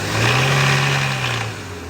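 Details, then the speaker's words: Chevrolet Onix engine held at 3,500–4,000 rpm with a steady droning buzz, like a light knock, fading as revs drop; loose, slack timing belt vibrating; fix is replacing the belt, after which noise gone. "Pronto. O barulho é esse. Tá vibrando na correia aí. É a correia."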